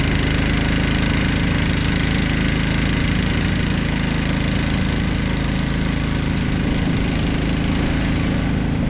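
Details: Snapper Yard Cruiser zero-turn mower with 42-inch cut, revived after a mouse nest, cutting heavy long grass: engine holds a steady, even drone with no misses or surging, no smoke, didn't get too hot; normal running under load.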